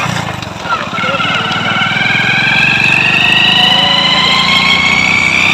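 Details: Hero Splendor Pro motorcycle, before repair, noisy when pulling in gear: the engine revs up with a rising whine over a fast rattle that tracks speed, from a worn primary drive gear, which was then replaced.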